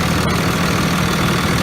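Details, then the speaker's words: Idle of a 2001 Dodge Ram 2500 Cummins 24v diesel after a new VP44 injection pump replaced the failed one: steady, even, smooth low rumble with no misses or knocks, much smoother running than before. Normal. "the code of death right there in the odometer must have went out without him Stalin Sammy much smoother running"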